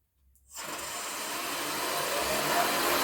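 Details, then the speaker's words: Shopsmith motor after cleaning to fix RPS error, cover back on, belt in place, spinning up to high speed, aiming for 9500: smooth, steady, quiet whir with no clunking; running normally. "pretty good nice and quiet sounds smooth no clunking noises"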